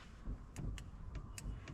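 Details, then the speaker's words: Dodge AT4 starter solenoid bench-tested, jumped straight across the battery with the body grounded: irregular sharp crackles and snaps of arcing with no firm click, as the plunger fails to pull in; solenoid faulty. "You can hear that arcing. It's trying to do something, but it can't. So, there's something wrong with this solenoid."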